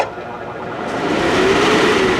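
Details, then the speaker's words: Chinese yellow blower fan from an engine show, after home balancing by removing a small piece, sitting loose held by gravity: spins up to a steady whir with gently rising tone and only faint wobble; still vibrates slightly but far better than its earlier violent shaking. "Oh wow, it still vibrates a little bit, but that is so much better than it was."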